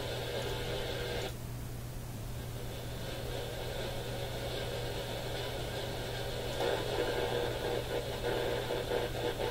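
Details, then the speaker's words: AM band receiver tuned to a very local low-power station, the only one received clearly: a steady low hum with a hissy buzz and faint uneven pulsing in the background. Interference noise; owner suspects the smart power meter, unconfirmed. "It's the only station we've picked up clearly, and even that one has interference in the background."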